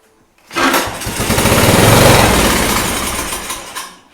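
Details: Riding lawn mower being converted to a yard kart, first run attempt: small single catches quickly and screams at a high fast buzz a few seconds, then winds down; running fine.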